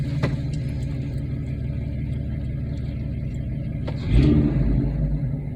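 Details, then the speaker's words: Interior recording at idle after final exhaust repair with V-band clamps added, tailpipe adjusted for clearance and clogged catalytic converter gutted: steady, even low rumble with no knocks or rattles; smooth, healthy idle. "idle smooth sounds good"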